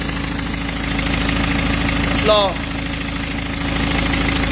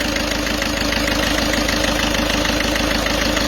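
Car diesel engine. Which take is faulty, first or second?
second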